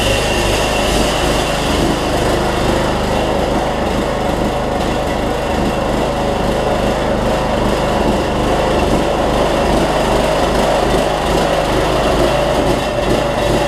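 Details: Troy-Bilt Bronco 42-inch 18.5 hp riding mower on a cold day, after a broken transaxle spring was replaced and it drives again: engine chugs with an uneven, stumbling beat; owner suspects a clogged carburetor low-side jet needing drilling or cleaning.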